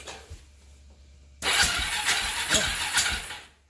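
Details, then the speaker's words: 1995 Kawasaki Lakota 300, spark confirmed but not starting, compression check by cranking with plug out: starter whirs, strong sharp puffs about twice a second from the open plug hole; pretty good compression. "That did pretty good, didn't it? It's got pretty good compression."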